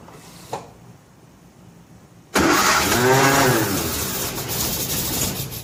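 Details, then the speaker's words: 1957 Nash Metropolitan barn find that sat for many years, start attempt with the manual choke and fuel pumped: quiet, then a sudden rough, uneven burst of firing that sputters and fades. It cranks but won't start. "wow um wheel surprise a little bit that it didn't just run but it's not far from it"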